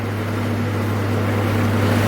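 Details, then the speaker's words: Acura Integra with B16 engine on its first drive after months of work, cruising: low, steady exhaust drone with light road hiss, not too loud, actually pretty quiet, no rasp or leak; normal exhaust while cruising. "the exhaust sounds good it's not too loud it's actually pretty quiet"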